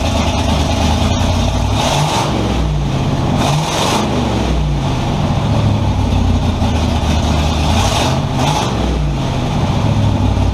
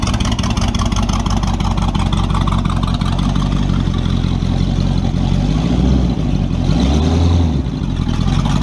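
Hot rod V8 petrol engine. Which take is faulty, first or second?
second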